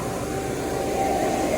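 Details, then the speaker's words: Planter test run with the new 295 tractor: vacuum fan that blows air through the planter to carry the seeds gives a steady even rush of air with no surging, rattles or scraping; the fan runs normally. "u got it run so it's working that's what blows the air through here and blows the seeds"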